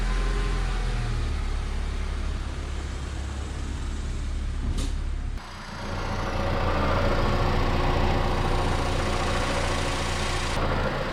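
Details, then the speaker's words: 2004 Honda Civic EM2 petrol engine idling with a rough whirring rattle over the engine note from a worn clutch throwout bearing. "that noise you hear, that's the clutch throwout bearing, which is going to be done in a little bit."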